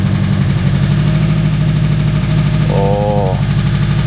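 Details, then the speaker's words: 1986 Ford bullnose truck, 302 V8, two-wheel-drive automatic, that sat for a long time: loud, regular heavy knock at idle keeping time with engine speed. More solid than a rod knock; the owner suspects a piston hammering something in a cylinder, possibly on the driver's side. "definitely not a rod knock that is way more pronounced way more solid than a rod knock uh to me it sounds like something in the cylinder like the Piston hammering something"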